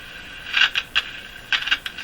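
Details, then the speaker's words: Crosley (Moffat) G-165 five-tube radio at first startup after new 47 µF capacitors were fitted: short scratchy crackles come and go over a quiet hiss while tuning, with poor reception. Intermittent crackle suspected from a short or dirt in the tuning capacitor. "was like a short in the Capa in the tuning capacitor or some dirt or something funny it would come and go like that"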